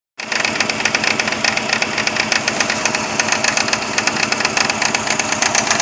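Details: 2000 Saturn SL2 with rough idle that dies in gear, after replacing plug wires and the #1 spark plug helped slightly: uneven, stumbling idle with irregular dropped exhaust beats; misfire, owner considering remaining plugs and coil packs; cause suspected, not confirmed.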